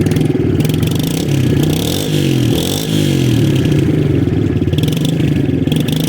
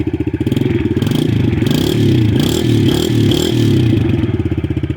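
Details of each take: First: Stock TTR 110 with original carb, warmed up, throttle blipped: small single stumbles each time the throttle first cracks open before picking up, slightly better warm but persists at low rpm; carburettor bog off idle. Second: TTR 110 with swapped-in KLX 110 carb, 40 pilot/88 main, just after cold start: small single blipped repeatedly, revs pick up cleanly with no stumble or bog and drop back smoothly; normal throttle response, much better than stock carb.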